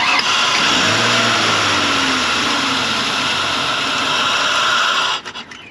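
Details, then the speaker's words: 2001 Ford Explorer with a no-start: the engine catches and revs briefly on carb cleaner sprayed into the open intake, then dies away. This confirms a fuel delivery fault rather than spark; pump power is to be checked next. "Confirmed fuel delivery issue."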